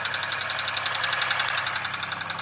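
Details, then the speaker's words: 2002 Chevy Malibu after starter install, a gallon of fuel added and key cycled to prime the pump: steady, even idle pulsing with no misses or stumbles; normal idle. "I put another I put a gallon in and I just kept turning the key on because after a while you got no pusher in the pump so as you can hear she's running that's all it matters to me"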